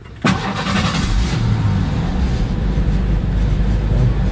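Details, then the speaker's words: 1989 Ford Thunderbird right after fuel pump replacement (old pump squealed): cranks and fires at once, then settles into a steady, even idle with no squeal or stumble; running as it should. "So far, so good. Hopefully this solves the problem."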